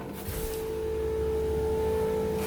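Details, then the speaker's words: 2013 Arctic Cat Wildcat 1000cc UTV, before repair: steady high thin whine at key-on for a couple of seconds, fuel pump priming normally; engine has fuel but dies, seemingly running on one cylinder, timing suspected. "so that's working got gas in it just dies"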